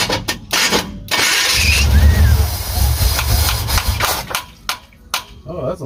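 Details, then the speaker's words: Truck sat over a year, carb pumped before start: starter cranks hard, engine catches roughly for a couple of seconds then stumbles out; fuel pours from the back of the carb, whose needle and seat were found damaged and needs new needles and floats. "all right so it did want to start but what was happening is fuel was coming out back here this time so instead of having the fountain in the front we kind of changed the position to the back so I opened this to check the needle and seat was [ __ ] up"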